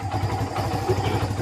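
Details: Kawasaki Barako 2, known for hard morning starts, after carburetor adjustment (settings 810, air screw 3.5) for one-click starting: single cylinder settles into a steady even idle with regular low thumps, no misses or rattles.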